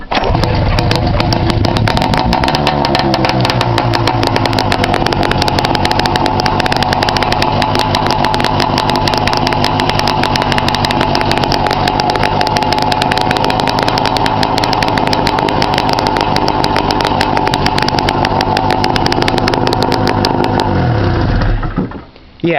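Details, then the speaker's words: 1997 Arctic Cat Puma 340 snowmobile, start on choke with the muffler removed for exhaust-leak welding: very loud raw two-stroke buzz from the open exhaust. "it's loud no doubt about it it is loud"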